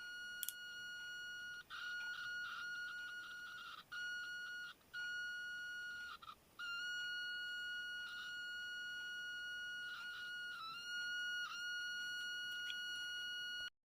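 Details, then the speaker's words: Continuity tester on an eBay DuPont jumper cable as it comes from the bag: high tone keeps cutting out and wobbling in pitch for several seconds; intermittent contact from pitted, slightly tarnished connector pins, before cleaning. "You could probably hear the pitch changing because these cables, as they come out of the bag, are very, very intermittent. Now I've had a look at this pin through a magnifying glass, and you can't see it here, but it's very, very pitted and a little bit tarnished."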